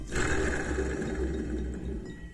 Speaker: on its way out so change it now instead of halfway through winter when you wish you were sled and then instead you're pulling out a skid again to change bearings